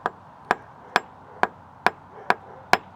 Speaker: when you are checking for a bad transom you want to hear a solid Ping On The transom and